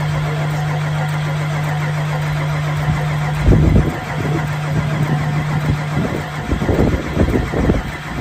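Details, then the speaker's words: 1993 Ford F-350 crew cab long bed, 460 V8, sitting over 10 years; after new fluids, battery, gas, tires and a replaced starter solenoid, jumped from another vehicle, it cranks strongly, catches and runs unevenly, no smoke. "Yep. Got her going. No smoke or anything."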